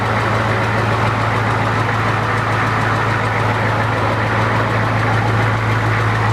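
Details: Rebuilt 1992 Ford 7.3 IDI naturally aspirated diesel (block decked .007in) at first start: steady idle with a dull knock about every half second, cured by replacing old cleaned injectors with new ones.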